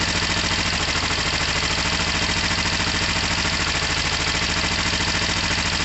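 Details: Kawasaki ER5 twin, first start-up on choke after incident and carb work: even, steady idle with regular exhaust beat, no knocks or misses, no smoke; normal idle.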